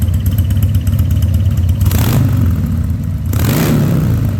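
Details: 2000 Harley-Davidson 1200 Sportster after carburetor rebuild, restarted with air cleaner installed: strong V-twin idle with crisp blips rising and falling cleanly, no misses or clatter; runs healthy.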